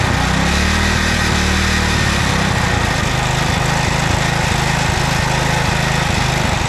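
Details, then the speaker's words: 2007 McLane reel mower small single-cylinder engine, warmed up, choke off, at high idle: steady rapid beat with slight unevenness; normal fast idle. "It's in the run position, and we're at high idle, fast speed."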